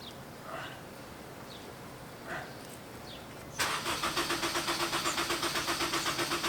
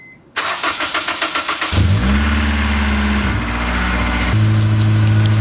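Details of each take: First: Honda S2000 the morning after cam reinstall and a good test drive: steady starter cranking about four beats a second, engine never fires; crank no start, cause not identified. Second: Honda S2000, first start after reassembly with cams installed and timed (car had been burning oil, leaking oil, misfiring): cranks, catches within two seconds, smooth steady idle; started first try, healthy start.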